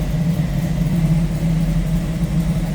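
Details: 1929 Ford Model A street rod, 283 V8 with three deuces, Edelbrock intake, roller cam, headers, 700R4 automatic, idling as hood is opened: deep, steady low burble, even beat, no misses or knocks; healthy.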